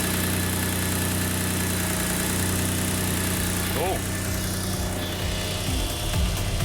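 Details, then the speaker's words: Subaru Levorg, built H6 engine, Haltech ECU, first start after swapping to a smaller turbo, untuned for new turbo; even steady idle with faint thin turbo whistle above it; normal, turbo swap successful. "the turbo swap has been a success"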